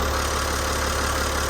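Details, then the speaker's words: Boat diesel after new injectors, crush rings and fuel system refit: steady, even idle with smooth low rumble, no knocks or misses; main oil leak gone, though number 6 cylinder still leaks. "Nice and smooth. Oil leak's gone there."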